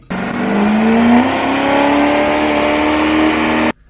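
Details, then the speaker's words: Duramax with a Stage 4 Allison transmission after about 800 hp and 1500 lb-ft on the dyno: at full-throttle shifts the revs briefly flare before settling. The clutch packs were found burnt, hot-spotted and delaminated, slipping under load. "so back in the dyno video we could see when it was shifting through when they were in full throttle you could hear it almost slightly flare up a little bit and we'll play it right here"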